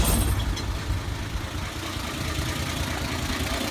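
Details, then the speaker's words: 1984 Ford 300 inline-six after Duraspark II conversion ('82 5.0 harness, Duralast distributor, coil, plugs, timing 8° BTDC) idles low with an uneven knocking tap; owner suspects spark knock or pre-ignition, not missing. "The problem is that she sounds like she has spark knock or some sort of pre-ignition. I'm not sure."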